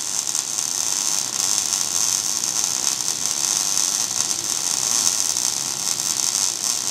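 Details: Steady, even crackling hiss like frying bacon, no pops or sputter gaps: smooth, stable MIG (GMAW/MAG, active gas mix) arc laying a fillet weld; normal arc.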